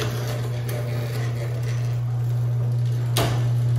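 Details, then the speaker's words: Craftsman 139.53672 garage door opener (1997) on a 16x7 door, non-original rail: steady motor hum on down travel, then a sharp pop as the door catches partway down on a slightly protruding bolt; only on closing, not opening; rail or bolt suspected. "right there so it it gets caught right where I have it stopped so I don't know if it's just uh something with the rail or if it's that I need to replace that bolt"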